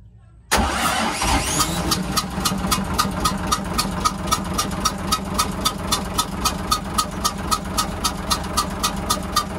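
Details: Hyundai 6D16 diesel in a boat, restarted, blows lots of air. It catches and idles with a sharp puffing tick, nearly four a second: compression escaping past a leaking head gasket.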